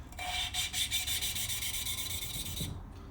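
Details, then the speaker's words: Lapping valves on a 1992 Yamaha Virago 1100 cylinder head with grinding compound: quick even back-and-forth strokes, smooth not gritty, pitch having risen as grit breaks down; seat nearly finished. "If you can pick it up, reset it, and it doesn't sound super rough, you know you're about ready to pull it off and see where you're at."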